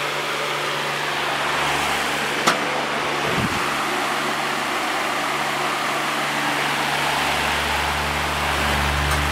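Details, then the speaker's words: Vintage Patton U2-1872 fan with powerful GE motor on low speed: slow to spin up, then a steady even hum with soft airy rush, no rubbing or ticking; washing machine audible in background; normal fan running. "this thing is crazy powerful even on low and as you could hear it took a little while to get up to speed but um once it does get up to speed it's uh spins pretty fast even on low"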